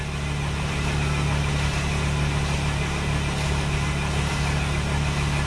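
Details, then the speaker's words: 2008 Mercedes Sprinter diesel after a rail pressure regulator reset: low, uneven, lumpy churn that nearly catches but won't run, and the battery light comes on. Owner suspects leaked fuel lost pressure and the fuel rail needs to pressurize. Crank, no start. "Did it cut on? No, it just shut off. It almost sounded like it cut on."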